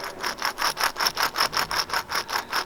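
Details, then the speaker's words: Ferrari right rear wheel bearing turned by hand: dry rasping grind pulsing about five times a second; bearing shot, should be silent, was horrendously loud under load while driving; replaced along with left rear inner tie rod. "It's not supposed to sound like that. No. For everyone that doesn't know, it's not supposed to make any sound at all. And under load when driving, that sound was like horrendous."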